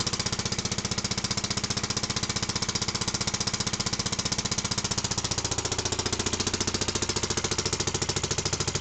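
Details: Barford Atom with Villiers Mk10 single-cylinder engine on new specially ground piston rings, test run after reassembly, started cold on choke: crisp, even firing at steady speed, no knocks or misses; a bit smoky early but no oil leaks. Normal running.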